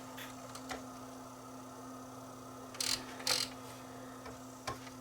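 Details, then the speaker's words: Panasonic DMR-E20 DVD-RAM/DVD-R recorder drive with stepper-motor laser sled: over a steady low hum, faint ticks and short buzzy bursts as the sled moves back and forth between record and playback; normal seeking. "you'll hear it you can hear it moving the laser back and forth"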